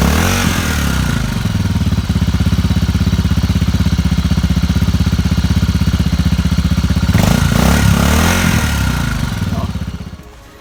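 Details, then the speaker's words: Motorcycle with a really bad battery on its first start attempt, using a new, uncharged small power-bank jump starter clamped to the battery negative. The starter labours unevenly, then the engine catches and runs. Slow, hesitant cranking from the weak battery. "And there's some hesitation because the battery is really bad. Some hesitation there."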